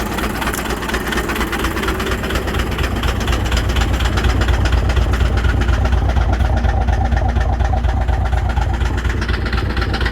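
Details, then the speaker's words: 12-valve diesel that ate its turbo, oil in it: loud regular deep knock about two per second over the idle, shaking the tire; owner suspects a rod about to let go; heavy engine knock. "she is knocking so bad it sounds like a Rod's about to eject out the block bad"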